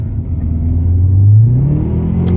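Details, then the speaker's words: Subaru Legacy GT accelerating in third gear: the engine note climbs sharply while speed does not follow. The clutch is slipping and burnt. "when your RPM shoot way up like that and your speed goes nowhere that is your clutch"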